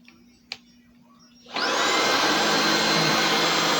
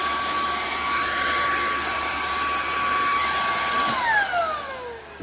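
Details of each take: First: Bissell ICONPet Turbo vacuum switched on: loud, steady high whine holding even pitch; owner says it isn't quiet but cleans well; motor running normally. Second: Bissell ICONPet Turbo cordless vacuum, fully charged, canister emptied, rear filter checked: even high whine holds about four seconds, then the motor winds down on its own; intermittent cutting out, cause not confirmed.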